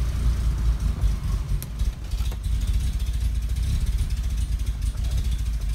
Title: BMW Bavaria Idling issue / vacuum leak